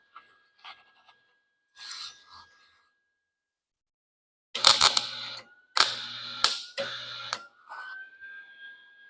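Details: Lincoln 140 Pro-MIG with feed chatter gone, settings 5.5–7, set at 6: harsh uneven crackling and popping over feed-motor whine; wire still feeding too fast, liner to be blown out.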